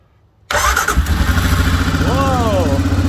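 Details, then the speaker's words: Arctic Cat ATV in neutral after a charging system diagnosis and fix. A brief brisk crank turns over faster than before, then it catches immediately into a steady even idle; normal cranking and start. "It started immediately. Yeah, and it started faster too, like just because it's turning over better. Yeah, that sounded normal."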